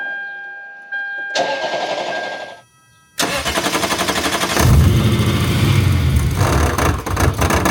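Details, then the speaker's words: Supercharged Lexus IS F V8, first start after install: starter cranks, engine catches into a rough idle with an irregular knock about four per second; supercharger tensioner pulley rubbing the outlet (S) pipe, belt possibly too tight. "Something's rubbing. Turn it off. I found the problem, guys. The tensioner pulley is hitting the downpipe, the outlet pipe."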